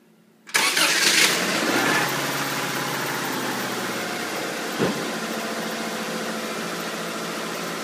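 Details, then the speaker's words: Healthy 1994 Subaru Legacy EJ22T after replacing two exhaust-side hydraulic lifters to cure a knock/tick: engine cranks, catches within a second and settles to a smooth, even idle with no ticking; sounds pretty good so far. "Shazaam sounds pretty good a little bit far so good"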